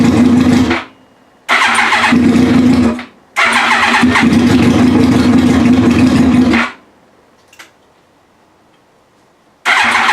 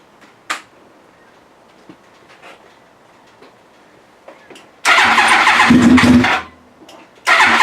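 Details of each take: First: Yamaha R1 first startup after sitting, reassembled with fuel pump, tank, fresh fuel and wiring harness refitted: engine catches and revs hard in short bursts, dropping out between tries, then fires up again; sounds healthy. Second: Yamaha R1 project after reassembly (fuel pump, tank, fresh fuel, wiring harness): quiet pause then two bursts of rapid cranking that almost catch but don't settle; turns over without starting on first attempts.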